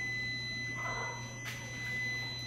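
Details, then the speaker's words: UPS inside a Viper machine control panel, heard during cooling pump breaker replacement: steady high-pitched tone over a low electrical hum, warning that the battery is weakening and due for replacement. "maririnig ninyo yung parang humuhuni, yung parang umuugong. Yun po yung UPS ng Viper. Yan po kaya ganyang humuhuni na. Nagbabadyan na po yan na palubat na yung battery niyan."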